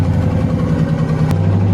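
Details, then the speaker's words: Ford Crown Victoria built V8, first start after machine-shop heads with cams refitted, checking whether the earlier knock remains: uneven, lumpy idle with irregular dips, like a cylinder or two dropping out; missing, cause unconfirmed. "I've heard worse. I think down some holes. Missing."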